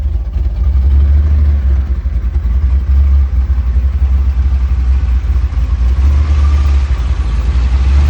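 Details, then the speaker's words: LS V8-swapped Chevrolet S10 with 2 1/4-inch exhaust and mufflers, restarted after rear main seal work, tune still being sorted: deep loping V8 idle, very quiet for an LS, no knocks or ticks; runs clean and even. "It's pretty quiet compared to what it used to be. Very quiet. But I like it."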